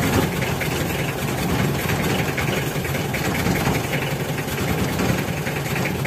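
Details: Warm Mitsubishi L300 diesel giving stinging white smoke that irritates the eyes: idles with a steady, slightly uneven clatter and no clear misses.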